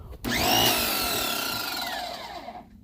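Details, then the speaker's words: Free Greenworks 2000 psi electric pressure washer connected to a water hose: motor spins up with a rising whine, then drops away and stops within about two seconds; it shuts off immediately, cause unclear. "Okay, that's one problem that it's having. It just does that immediately. Is it supposed to do that?"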